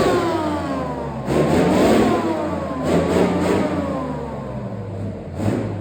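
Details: Replacement engine for a Chieftain tank, first test run out of the vehicle: big engine holds a steady low idle, swells smoothly with each rev and settles back cleanly; idles beautifully, healthy engine.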